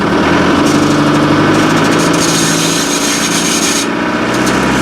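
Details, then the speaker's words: 1997 Land Rover Defender 90 ex-military, 300 Tdi conversion with LT77 gearbox, cold morning, in first gear: harsh steady high screech over the idling drivetrain, not in reverse, no clunk; low gearbox oil suspected. "Now, I'm going to try and get this camera a bit closer and open the door so you can hear, but it's making an awful screeching noise."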